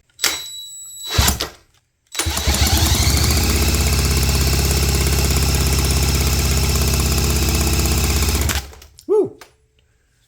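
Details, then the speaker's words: 1972 Johnson Seahorse 9.5 hp two-stroke outboard, wet compression test: even, strong cranking thumps about three a second with no stumbles; about 90 PSI, adequate to run. "Got about 90 PSI. Not gigantic, but for a two-stroke should be enough to get us going."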